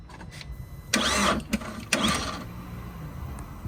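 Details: Vauxhall Astra H van, converted to 1.9 Z19DTH diesel, first start after top-end engine repair: two short cranking bursts, then it catches and settles into a steady, even low idle with no knocks or rattles.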